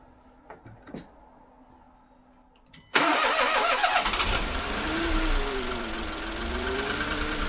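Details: Renault Clio engine after budget rebuild following skipped timing, first start: cranks, catches instantly and settles into steady idle with no misfire or knock, no warning lights; healthy.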